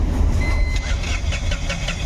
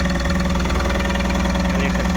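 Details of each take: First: Tata Ace Gold BS-6 diesel cranks but won't start: starter churns steadily, never catches; scan shows crank sensor no-signal fault (P0335-31); no start. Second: Tata Ace Gold BS-6 diesel after the cut crank sensor wire and socket were repaired: it starts and idles with even clatter, pulses evenly spaced with no stumbles or hunting; P0335 crank sensor fault now in history, engine running normally.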